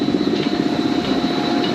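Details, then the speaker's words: Concrete batch plant conveyor belts restarted for the first time since December, ahead of 2-yard test batches: steady mechanical hum with a faint, even roller rattle and no knocks or squeals; belts running normally. "The belts are rolling. We're only going to do a couple 2-yard test batches, just to make sure the plant operates like it's supposed to."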